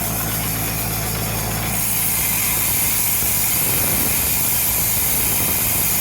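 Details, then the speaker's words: Jacobsen LF1880 fairway mower, backlapping all five reels on the machine after adjusting each reel for slightly more bedknife contact: engine hum with an even, hissy rasp of reels brushing the bedknives. Contact uniform and correct. "i went around i just adjusted them all a little bit to give them a little bit more contact and you can hear the difference now that's really nice"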